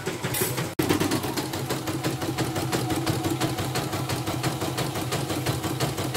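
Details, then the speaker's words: Portable CNY embroidery machine after replacing the pitted, needle-gouged bobbin case and readjusting: quick, even stitching clatter about three beats a second, no harsh knocks; runs smoothly and stitches no longer skip; rotary hook to be replaced if the looseness worsens. "Halus soalnya, dan hasilnya juga nggak loncat-loncat, sudah setara semua."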